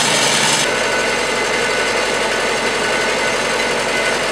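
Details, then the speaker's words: Old Massey Ferguson MF 50 tractor after a -8°C cold start, carb screw set at one full turn to minimize fuel smell: steady, smooth, busy idle with no misses, surges or knocks; sounds healthy and well adjusted. "so you can hear it it's running really good sounds nice doesn't smell too bad"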